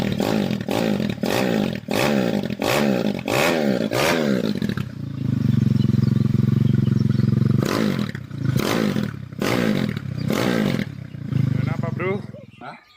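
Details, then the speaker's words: Honda Tiger engine bored up to 71.5 mm with a Jaguar 250 block and head, bench-tested before fitting to the bike; quick throttle blips then a held steady rev, pitch rising and falling cleanly with no knock, running smoothly. "Ya lumayan halus suaranya. Tinggal tes di atas motor."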